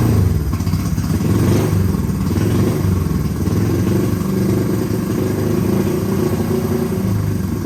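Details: Honda CL350 Scrambler, about 50 years old, parked for years and not run; first run using the old gas tank plumbed in without fuel filters. A deep, steady low putter settles into an even run and picks up smoothly with more throttle. Normal running.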